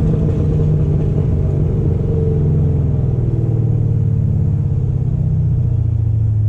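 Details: 2006 supercharged Corvette V8 running with multiple misfire codes, earlier cylinder 6: deep lumpy rumble with an uneven stumbling beat, no power. Cause unconfirmed; race gas being tried, next steps plugs and stock wires.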